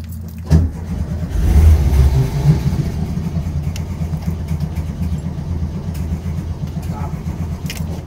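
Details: 1968 VW Bus, manual, just after carburetor reinstall: steady starter chugging about three beats a second, engine never catches; cranks but won't start, accelerator pump suspected not acting right, possibly float-related.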